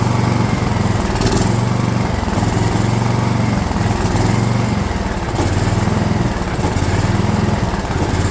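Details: DR all-terrain mower, Kawasaki FV420V engine after years sitting, fuel lines leaking: uneven surging beat with speed dips, never settling to idle; owner suspects flooding carburetor, later finds a bad problem in the float bowl.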